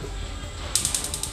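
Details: Quantum gas stove after its faulty electric igniter was repaired. About six crisp, evenly spaced sparking clicks in quick succession, after which both burners light: the igniter clicks and fires normally.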